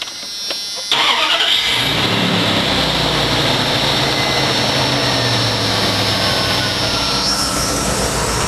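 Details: 1996 Dodge truck, 5.2 L V8, after tune-up, new spark plugs and replacing a coil wire shorting on the exhaust manifold: starter catches, settles straight into even, steady idle with no stumble or popping; misfire codes P0300/P0301 cleared.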